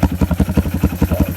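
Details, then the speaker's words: After carburetor repair, the bike makes slow, heavy chugging pulses at about seven per second, labouring instead of revving; it bogs when given gas. The owner suspects something in the air box; it has an air filter. "Don't know why it's bogging out like that, so if anybody in the comments can comment, let me know why it's bogging out like that when you give it gas."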